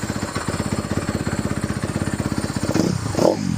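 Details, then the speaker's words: 2017 Honda CRF250R with a fouled plug that wouldn't start after storage, now running: a steady, even single-cylinder thump at a fast idle with no smoke, after it stalled once on throttle; normal idle. "No smoke. Sounds pretty good."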